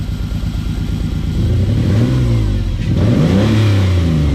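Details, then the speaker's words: 1995 Ford Explorer two-door V6, misfiring on one or maybe two cylinders; after cleaning and refitting a used spark plug, revving is uneven and lumpy, slightly better at higher RPM but still missing. "Now I think that's a little bit better. Still not fixed, but that's a little bit better. Maybe we were on 4, now we're on 5. I don't know."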